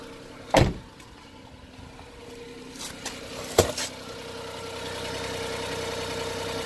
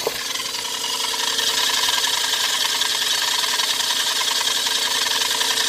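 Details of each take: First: Every van run briefly with the alternator belt removed, which also disconnects the water pump: a couple of sharp clunks at start-up, then a low, quiet, steady idle with no squeal or whir; the noise was in the belt drive, with the water pump suspected. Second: Every van with its AC compressor belt removed: noise lessened but still present, louder outside the car. A steady hiss and whine over the idle; alternator, AC compressor or crank pulley rubber were suspected.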